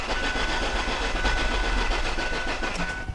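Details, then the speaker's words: Ford Focus crank no start, cranked after charging the weak battery; starter spins at steady even rhythm about three to four beats a second, never fires. Compression sounds good and even, compression problem doubted. "just from that cranking test using my fast tech analysis I already can eliminate some variables so because the compressions sound very good and even compression is to the bottom of the list I doubt there's a compression problem"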